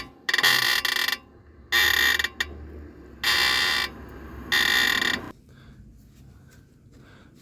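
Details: Tesla Model 3 front suspension: four loud high-pitched squeaks, each under a second, as the suspension moves. A common problem: water gets under the control arm bushing boot and it runs dry; a fix is attempted by sliding the boot down and lubricating.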